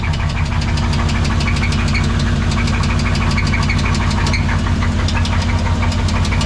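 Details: Two-wheel-drive C20 truck that quit suddenly while being driven. Heavy, steady knock about three times a second over a rough idle, indicating serious internal engine damage, likely in the bottom end.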